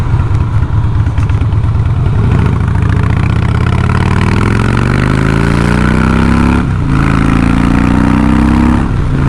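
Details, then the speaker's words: 2007 Harley Night Train riding after a Progressive monotube fork upgrade: the V-twin exhaust pulls strongly with pitch climbing through the gear and a slightly sharp, popping note. It is definitely running lean. "Gets up and goes pretty good. Definitely running lean."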